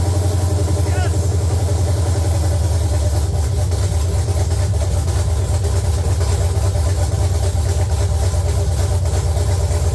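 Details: LQ9 V8 swapped into a BMW E36, first start after the build, open headers, no coolant yet, oil pressure light off: loud, lumpy idle, deep steady rumble with an even beat and no knocks; running normally.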